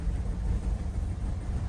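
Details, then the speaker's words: Chevy Cruze/Buick Encore 1.4L with check engine light, codes P0106/P0131/P0171/P1101, idling low and uneven with a wavering whoop-whoop rumble and fluctuating needle, worsening; cause is the failed PCV valve in the valve cover. "It doesn't sound normal. It's whoop, whoop, whoop, whoop, whoop, whoop, whoop. Very rough idle."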